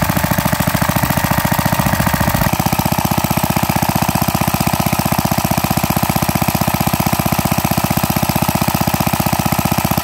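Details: Pre-WWII Briggs & Stratton model WM after rebuild (0.010" oversize bore, NOS piston and rings), warm after about an hour of running, still breaking in: crisp, even single-cylinder beat, no knocks or rattles.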